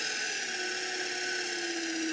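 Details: Salvaged rusty DC motor with speed controller turned all the way up, about 1720: steady even high whine, constant with no knocks or roughness, motor spinning smoothly at full speed.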